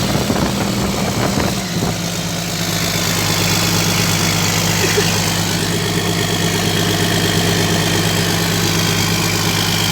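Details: Komatsu PC200-8 excavator after engine overhaul: smooth even low drone at steady idle, no knocks or misses; diesel sounds healthy and settled.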